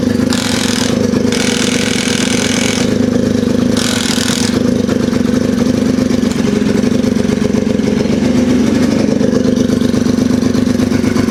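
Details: Polaris RZR 170 sat about 5 years, first running on choke after starting fluid: loud rough engine, uneven thumping under exhaust roar with a hint of knock, smoky; owner thinks it may just be exhaust but it sounds knockish, unconfirmed.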